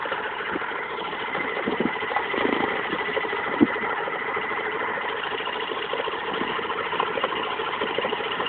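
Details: Mazda RX8 rotary idling unevenly with a faint irregular tapping over the hum; owner reports a knocking noise and slow revving at low revs, and the source is not pinned down.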